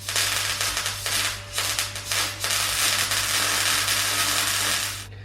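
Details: MIG welder as wire speed is increased past stalling: steady, even frying crackle from the arc with constant mains hum behind; wire speed well matched to power, before it gets fast enough to stutter.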